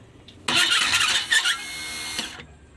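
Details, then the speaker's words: 474 engine just fitted as a replacement in a Changan twin-cab truck, about 40 km run: harsh, high, dry squeal for about two seconds while cranking without firing; the top end was later found dry, with no oil reaching it. "这忽然一下就出现一个这个响声，大家听一下。这声音好像就在发动机里面啊。"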